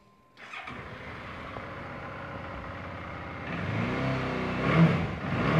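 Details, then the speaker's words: Suzuki DL650 V-Strom 2011, 19,899 miles, just given a major service (valve check, air filter, spark plugs, oil): V-twin catches quickly and settles into a steady, even lumpy idle, then blips cleanly; healthy, nothing untoward. "they're cracking little v-twin"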